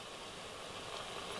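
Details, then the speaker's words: Bush VTR178 radio after a slider potentiometer strip-down refurb and general service: only a faint, even, low background hiss with no hum, crackle or whistle, which is normal and clean. "That's very low noise, look."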